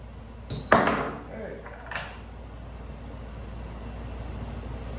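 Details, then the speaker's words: 1984 Honda ATC200x front hub bearing being hammered into its bore. A sharp strike with a distinctive bright metallic ping, then a lighter tap, shows the bearing has bottomed out and is fully seated, so hammering should stop. "all right so I don't know if you guys could hear that but that last HP had a very distinctive ping which means it's bottoming out so you don't want to keep banging on it after that"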